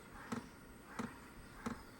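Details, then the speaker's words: Hcalory HC2 diesel heater, new and on its first automatic startup at setting seven, trying to light. Sharp, light clicks come evenly about every two-thirds of a second over a quiet background; it later puffs a little smoke. Finding: normal startup clicking. "It's got It's making a clicking noise. So, uh let's give it a little bit."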